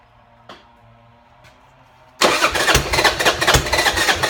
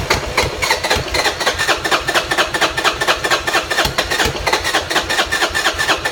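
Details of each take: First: Buell Blast single that won't start without its auto choke (enricher) or a shot of starter fluid, here started on a drop of starter fluid through a small drilled hole: faint clicks, then a steady, even thump of about three beats a second. Runs well. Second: Buell Blast cranking cold without auto enricher choke or starting fluid: starter churns steadily about two compression strokes a second for eight seconds with no firing; won't start without choke enrichment.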